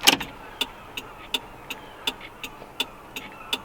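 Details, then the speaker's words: VW Rabbit Pickup turn signal: crisp, even flasher ticks about every 0.37 s, roughly 160 a minute, on the faster side, for comparison with the slow-flashing left indicator; turn signal flasher click rate. "But this is just on, off, and the flash is really slow, that you can even hear it."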